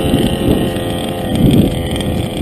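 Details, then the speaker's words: Losi 5B with modified OBR 34SS reed two-stroke on 101 octane, 32:1 mix, idling fast and buzzy after a landing as the low-speed mixture runs lean; lower needle to be richened. "because it's running leaner i'm going to rich in the lower needle a little bit"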